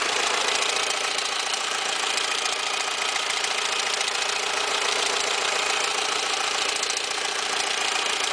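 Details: Peugeot 206 1.0 16v 2002, noise on startup from the engine's right side, intermittent, fades after driving; steady fast chatter and hiss over idle from a completely slack alternator belt slipping, nearly off the tensioner. Fixed by replacing the belt set.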